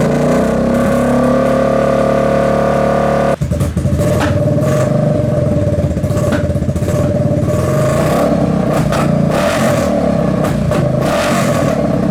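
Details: Kawasaki KFX700 quad, after old gas is drained and refilled with fresh, idles rough and uneven. It picks up after a blip, with scattered pops: intermittent misfire or intake backfire. Carb cleaned, spark confirmed; owner suspects stuck valve or timing chain.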